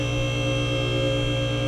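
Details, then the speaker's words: Max Jax portable 2-post lift raising a car for the first time under load: constant, even electric pump hum with no surging, grinding or chatter; not the fastest lift but level and running normally. "it's not the fastest lift but"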